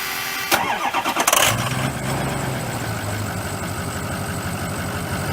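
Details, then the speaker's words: Ford 6.0 diesel cold start at about 50°F, before an oil change with Turbo Maxx: brief crank, then a lumpy, uneven, slightly knocking idle from injector stiction. "It's not as bad this morning. It's pretty warm out. You would really notice You can hear it knocking a little bit now."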